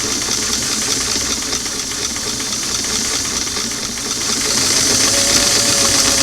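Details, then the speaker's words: Restored Singer clamshell foot pedal after adjustment, four carbons removed: fast, even needle chatter over a smooth motor whir that builds steadily; the motor now starts earlier and speed is less touchy and easier to control. "that's good and they have a little more range of motion at each speed you know it's not so touchy I get it going here and then it's going to start will slow it's easier to control the speed"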